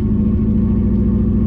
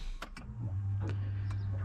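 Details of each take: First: Subaru Impreza that had been sitting, cranked until it finally starts, then idles lumpy and stumbling with an uneven pulsing beat, clearly missing on a cylinder; heavy misfire, and it keeps dying with the fuel needle not moving, so low fuel is suspected. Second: Subaru Impreza that sat a while and wouldn't start, battery freshly charged: a few clicks, then a steady low hum holds for over a second with ignition on as the fuel pump primes, sucking fuel.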